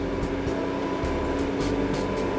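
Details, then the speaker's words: Class C motorhome generator that often failed to start starts on the first try after the battery cables were reconnected and tightened, and it settles into a steady, even drone with no surging or hunting. "it works you can hear"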